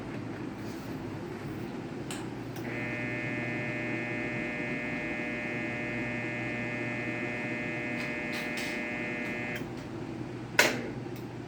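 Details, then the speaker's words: Whirlpool washer that would not spin, after repair, with bad bearings noted: a click, then steady even motor hum about seven seconds and another click; lid lock engages and spin starts normally. "have activated what the lid lock is and it is telling us that it is going to squeeze"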